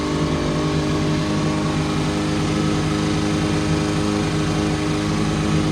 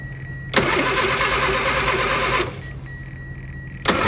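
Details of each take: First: Austin Mini Cooper after replacing the distributor wire and adjusting the distributor and fuel: steady, even idle with a smooth beat and clean throttle blips, no misses; previously ran badly, now normal idle. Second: Austin Mini Cooper: starter spins the engine steadily for about two seconds, stops, then cranks again with no firing at all; cranks but won't start.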